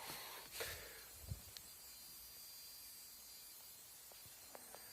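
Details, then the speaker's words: Pioneer car head unit on auxiliary input with nothing plugged in. A faint, steady high hiss with stray clicks is heard even at volume zero. This is background noise from the head unit, with a passing car possibly audible. "I mean I can hear it now too even though even on zero I can still hear it it sounds like another car"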